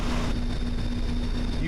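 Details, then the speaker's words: 1996 Mazda Miata idling after MAF, throttle body and intake manifold cleaning. Very quiet, even idle with no hunting; before, the tach bounced between 850 and 1000 rpm, now it has evened out dramatically. Check engine soon light still on. "barely hear the engine run and before i did this that tachometer would sit there and bounce between about 850 to a thousand just pound pounds it's evened out dramatically"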